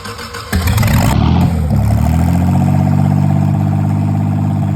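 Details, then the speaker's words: Rebuilt Volvo Penta 4.3 long block on a floor test stand, cold, after pumping the gas; cranks, catches, then runs a lumpy, wavering idle; a fuel-system problem is suspected (hose not seated or empty filter), not confirmed. "But it does run, so we're going to mess with the fuel system a little bit. Maybe our hose isn't in there good, or our filter is empty."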